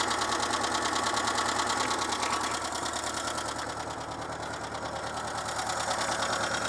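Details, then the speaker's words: Renault Super 5 running on 100% ethanol, after a head gasket replacement without readjusting the valves: a light, quick ticking of about three taps a second over an even idle, a noisy rocker arm with loose valve clearance that is faint at idle. "parce qu'il semble qu'il y a un culbuteur qui fait du bruit mais bon ça c'est ma faute normalement faut le faire dès qu'on change le joint de culasse"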